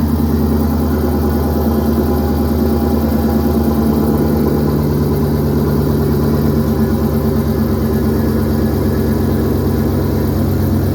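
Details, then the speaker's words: 2012 GMC Yukon Denali V8 after fitting Jet-Hot-coated shorty headers in place of cast-iron manifolds: deep, even burble at steady idle, no ticking, leaks or misses; sounds same as before. Normal idle. "But I really didn't notice any sound changes. To me, it sounds the same as it did with the cast iron."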